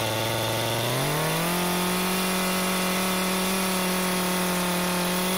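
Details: McCulloch Eager Beaver Super 2318av chainsaw, bar off, run after oiler teardown (no bar oil): fires right up, idles briefly, climbs smoothly to a steady high rev and holds it evenly; sounds healthy.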